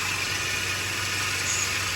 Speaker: this loud uh whining noise so you can kind of pinpoint what area it's coming from and it sounds like it's coming from here